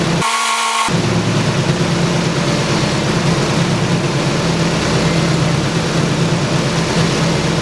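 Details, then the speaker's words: Nissan 240SX S14 idling after flushing power steering with ATF and bleeding the pump repeatedly: steady low engine hum with no whine; power steering pump now quiet, steering easy. "so after bleeding the pump multiple times by doing the back and forth thing and keep popping off the fluid the wine is completely gone and watch how easy my 240 turn"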